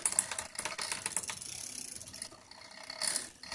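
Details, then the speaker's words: Road bike in its high gear with the chain on the big front ring: light, fast metallic ticking and scraping as the chain chatters against the front derailleur, whose high limit screw is set too tight and needs adjusting outward. "now you're going to hear chatter here which is a sign that the derailer is not allowing the chain to move out far enough and we're going to have to adjust the high screw outward"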